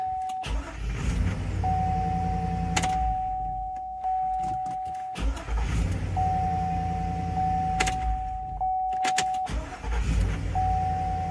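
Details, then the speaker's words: 2002–2005 GMC Yukon / Cadillac Escalade after starter motor replacement: short bursts of quick even cranking over door chime, catching without grinding or clicking; confirmed fix. "All right. Well, there we go. That is a confirmed fix."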